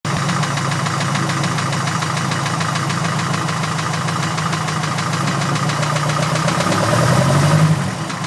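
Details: Porsche 914 after valve adjustment, at idle: rough idle with a steady, rapid knocking pulse under the exhaust drone, rising with revs; suspected rod knock.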